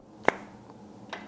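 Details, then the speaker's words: 34-year-old Tecumseh H30 engine on Troy-Bilt Tuffy tiller, no-compression diagnosis: one sharp pop as intake valve is pulled with stem hole covered, then a faint second; intake guide snug, unlike worn exhaust guide. "hopefully you heard that let's try it again again so the intake valve guide it is a snug fit and I don't think I'm going to have an issue with that"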